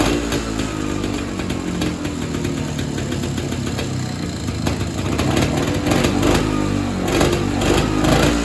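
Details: Evinrude Bobcat 25hp two-stroke snowmobile sat 20+ years, after carb diaphragm stack refitted: uneven running, about three pulses a second with irregular surging and stumbling; untunable, owner suspects air leak or hardened carb diaphragm.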